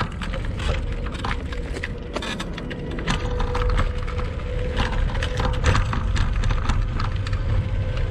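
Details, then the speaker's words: Kugoo Max Speed Pro electric scooter ridden off-road on sandy rough ground, after previous falls: constant loose clattering and rattling with irregular knocks, no fixed rhythm; squeaks and rattles throughout, source not pinned down. "я думаю вы увидели что шумов достаточное количество там практически наверное весь видеоролик слышно как все громыхает дребезжит"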